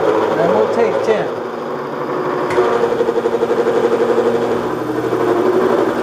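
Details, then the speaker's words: Bridgeport mill with a dull shell mill skimming aluminium marine clips: cutter chatters with a fast pulsing drone as the motor strains under a heavy cut, close to bogging; switching to low gear with higher motor speed, and the cutter needs sharpening. "I can hear it's getting ready to bog down that motor, so we're gonna put it in low gear and run our motor at a little bit higher speed."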